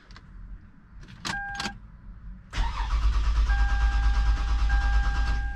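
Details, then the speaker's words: 2008 Lexus towed in with no start: starter cranks at a steady even rhythm for several seconds but never catches; crank no start traced to a broken engine coolant temperature sensor wire. "that's all it does it cranks but doesn't start"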